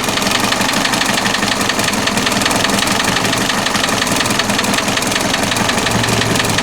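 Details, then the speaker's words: VW MK4 TDI diesel at idle: quiet, fine, even clatter with no heavy knock or rattle; the earlier noise came from a pump and is now gone. "This is the quietest diesel engine I've ever heard. It was that pump that was making the noise before."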